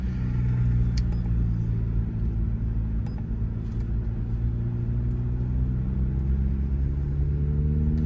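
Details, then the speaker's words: SUV with a stage 2 cam and springs, variable valve timing locked out, still on the stock tune, recorded from inside the cabin: a low, heavy idle with an uneven lope. It often stalls at stops until a custom tune is loaded. "i don't know if you can hear it in here but it's got a real um erratic lope uh it's not too bad right this second but sometimes in and out of gear uh when you pull up the stop light a lot of times it will stall out"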